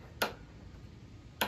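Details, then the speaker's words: Honda HRX217HYA self-propelled mower, rear wheel lifted off the ground and turned by hand: two sharp, light clicks about a second apart, the normal ratchet action of the drive pinion gear, which had been fitted reversed; mower would not self-propel. "both Wheels on the back should do that you can hear it click"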